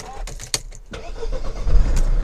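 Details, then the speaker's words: Mercedes CLK 220 with a no-start complaint, jump-boosted from a Topdon pack: brief rough cranking with hesitations, then it catches and settles into a steady idle with no dash warning lights; the fault is just a weak battery needing replacement. "Lovely. [Music] So she starts up. apart from needing a battery. Not even got any warning lights on the dash."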